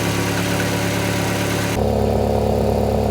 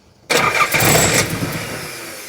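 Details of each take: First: Nissan 300ZX with KA24DE swap on a Link Fury ECU and turbo-ready harness, while being tuned: steady, even idle with a constant low hum and no misses, knocks or hunting, then a brief throttle blip; healthy running. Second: Nissan 300ZX with KA24DE swap on a new Link Fury ECU and Wiring Specialties harness, first start attempt: starter whirs and the engine turns over hard about two seconds without catching; ignition timing too far out to fire.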